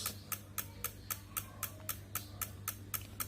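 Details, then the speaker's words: Honda Vario 110 LED CBS ISS scooter with ignition on won't crank; the starter relay gives fast, even tek-tek clicking of about four a second from a weak battery. "berarti kalau kayak gini arusnya udah enggak jelas ya Nah kalau kayak gini udah pasti ya kalau kayak gini akinya nih udah kurang bagus"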